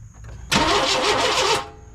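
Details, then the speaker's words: 1998 Chevy C1500 truck, number three plug wire pulled to check spark: about a second of steady fast starter cranking with no firing and no catch; crank-no-start, no spark. "just keep cranking nope no spark well that solves that little question"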